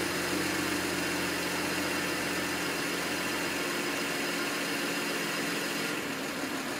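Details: N54 engine misfiring at idle, logged with an IPNA video log: the idle runs uneven and lumpy with an irregular stumble and skipped exhaust pulses.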